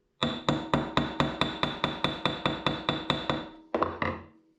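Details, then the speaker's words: Hammering out small hydroforming ripples in the brass of a resonator guitar on a dolly: about fourteen crisp, evenly spaced ringing taps, roughly four a second; the bright tapping means the metal sits dead flat on the dolly. "When you hear that bright tapping sound like this, and like that sound means you're dead flat on the on that thing."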